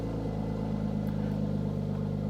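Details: Mercedes AMG C43 at a salvage auction yard, went off the road, just started: steady even low rumble with unwavering tone, no knocks or misses; sounds wonderful. Normal idle.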